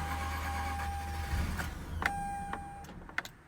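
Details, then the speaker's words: Mazda RX-8 rotary engine catches and runs with a low hum for about a second, then dies, leaving chimes and tones; the cause is a very loose battery terminal cutting power. "mine starts up right away so that is not the issue but the issue is with the power source uh with the battery it's just one of the terminals uh it is like really loose connections"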